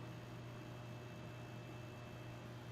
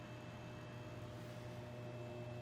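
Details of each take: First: Dumont RA-109 tube television, first quick power-up after long storage: a steady low buzz with faint higher tones from the vertical output transformer working; no horizontal section sound heard. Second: Dumont RA-109 tube TV on first power-up after long storage, at full AC power: steady hum with a thin constant buzz from the vertical output transformer; the horizontal stage is silent.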